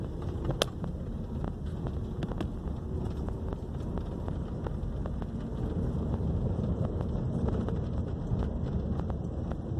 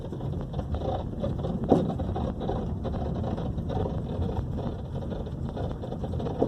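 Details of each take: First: 2012 Honda Civic road test after replacing left front suspension parts and bushing: steady low road rumble and wind on a rough street, with no clunks or knocks left. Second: 2012 Honda Civic driving over bumps: steady road rumble with two sharp, ugly knocks from the front suspension, traced to a cracked bushing on the left side.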